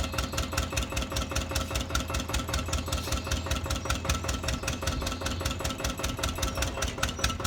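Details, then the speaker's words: Old Winget one-ton dumper, long-stored single-cylinder Lister PH1 diesel, first run: steady chug with a sharp, fairly even knock each firing and a hard, rough note; smoking and needs work, cause unclear; owner suspects blow-by from worn rings. "that's definitely they need some work just smoke of it um brakes don't work"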